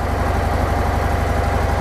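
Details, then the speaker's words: Harley-Davidson Softail Sport Glide at cold idle, with idle set slightly higher while the engine is cold and the owner's AI TMS engaged. There is an even, low potato-potato thump with a steady rhythm and no knocks; it sounds normal and healthy. "because it's a cold engine it's actually set a little bit higher I've actually got AI TMS actually engaged on my bike so it is a little bit higher there"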